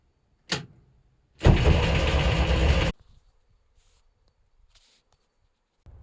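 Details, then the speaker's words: Jeep after too much Marvel Mystery Oil in the gas tank, fuel drained, new spark plugs, carburetor and fuel pump drained, fresh gas primed: starter cranks about 1.5 seconds but never fires; no-start, carburetor rebuild considered, cause unconfirmed. "damn no go I guess it's time to rebuild the carbon the fuel pump maybe it wasn't a problem at all"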